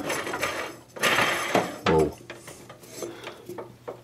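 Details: MTD White LT200H riding mower with a 20hp Briggs, deck pulley removed and spun by hand, belt torn: a dry, gritty rasp that fades as it slows. Worn pulley bearing that needs replacing.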